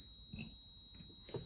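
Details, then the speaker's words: Singer sewing machine with needle bar blocked to simulate the fault: thin high continuous beep over faint mechanical ticks, E4 error shown after the needle bar tried to move and couldn't. "you see there, E4, it's given an E4 on it."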